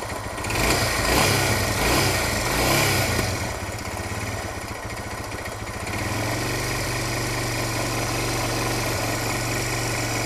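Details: Suzuki DR650 single-cylinder engine, knock present for a while: a rough clatter at idle in neutral and when accelerating that fades on deceleration and returns at low revs. Valve clearance and cam chain tensioner have been checked, and the origin is unknown.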